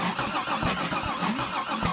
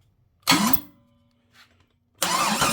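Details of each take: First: Big-block V8 turned over on the starter with unadjusted valves: a hollow whack on each turn; rockers suspected of striking the valve cover, judged harmless. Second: Big-block engine on a stand, not yet installed in the car, with unadjusted valves: three bursts of starter cranking with an even chug at about four beats a second, and it never fires. The engine turns over freely; a possible whacking noise is suspected under a valve cover.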